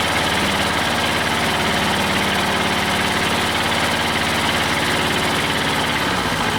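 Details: Old Detroit Diesel two-stroke four-cylinder dozer with a loud, lumpy idle and missing pulses, warming up after the Bon Ami cleanser trick. It runs on 2 of 4 cylinders (compression was 150/90/0/0), possibly from stuck valves.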